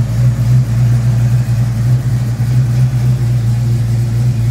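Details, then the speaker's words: Fox Body Mustang 351W stroked to 358, Comp XE276HR-12 cam, Edelbrock Street heads, ported Cobra intake, 30 lb injectors, BBK shorty headers, Flowmaster cat-back, about 20° base timing: deep uneven choppy loping idle; owner suspects running rich. "i don't know if that has anything to do with how rich it's running"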